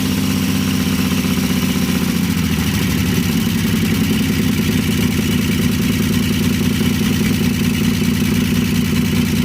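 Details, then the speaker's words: 1952 Chevy engine restarted after refitting the fuel pump ground wire, which had caused the earlier stall, running on gas with a little oil mixed in; firm, regular, even idle with no skips or tapping. Carburetor rebuild pending. "well she sounds pretty good i want you to see the happiness on my face"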